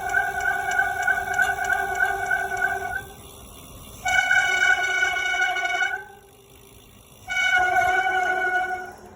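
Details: Bicycle on slow one-handed paved downhill in cool weather: loud, high-pitched squeal in three sustained bursts each time the brakes bite, stopping between. Brake squeal.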